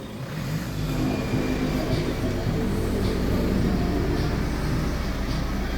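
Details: 2014 Hyundai Santa Fe with push start, after repairing a no-crank, no-start and lost-communication fault: the engine climbs and holds a smooth, even rev with steady pitch and no misses or knocks; a healthy run.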